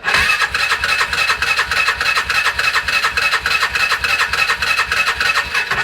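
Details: 2011 Polaris Ranger 500 EFI after a full engine rebuild, first start attempt with fuel pump hooked up and spark plugs in: fast, even starter cranking at about three and a half beats per second, never catching; cranks but won't fire.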